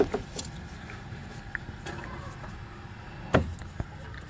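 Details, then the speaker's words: Dull irregular knocks as a worn sway bar link is rocked by hand with the car's weight on it, loose enough to turn; it explains clunking on cornering. Both sides worn. "i was getting a clunking noise on cornering and this is what i discovered when i inspected them"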